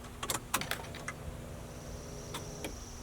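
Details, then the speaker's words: LS-swapped Jaguar XJ-S before first start, fuel pump relay plugged back into fuse box; a few clicks then faint steady high whine over low hum as the pump primes at key-on; normal fuel pump prime. "last but not least we're gonna see if when we plug this relay back in we get fuel pump working from the fuse box here"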